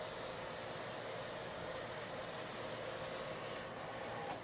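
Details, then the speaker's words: Lathe turning a long, thin part after a centre was machined in its end for support. The pass has the same depth and speed as one that chattered before, but it now gives a steady, even cutting hiss with no chatter, and a better surface finish. "but the past i'm making this time is the same in depth and speed as the past that i just made this time you don't hear the chatter"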